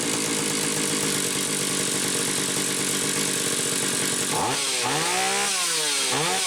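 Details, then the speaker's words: Stihl 031AV chainsaw after ignition repair with an aftermarket ignition module replacing the original trigger under the flywheel: strong even two-stroke buzz, then clean quick blips up and down, revving freely; repair worked, running healthy. "oh okay so it worked that's the good news"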